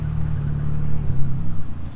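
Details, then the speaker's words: Cold start on a 500+hp Opel Astra GSI z20let turbo, left with a bad map: idle hum falters and surges as soon as throttle is released, engine nearly stalling; massively overfueling, load map all over the place, wrong cold-start map. "Now it wants to die again, as you can tell. As soon as you let off the throttle, it wants to die."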